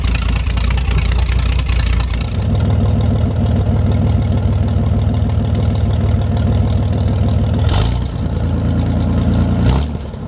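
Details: 1973 GMC 432ci V6 engine, out of a parted-out truck and sitting unstarted almost five years, run after light prep: even, deep idle with a couple of smooth throttle blips settling right back; normal idle, running clean and healthy.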